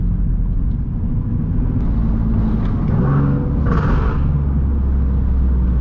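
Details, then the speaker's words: Single-turbo Nissan 370Z Nismo healthy exhaust: deep, steady rumble with some pops and no raspy note, the sign of no exhaust leak. "see that's how it's supposed to sound nice deep with some pops"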